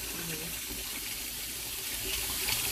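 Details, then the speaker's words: Kitchen sink, slow drain: water drains with uneven bubbling and gurgling instead of a clean steady flow. Likely partial blockage from piping with multiple turns; venting doubted; plunging improved it; cabling or jetting suggested. "yeah it needs to be oh there it goes yeah you hear it that's not supposed to make that noise so what it's supposed to do is just go just straight out you could have a venting issue but i doubt it"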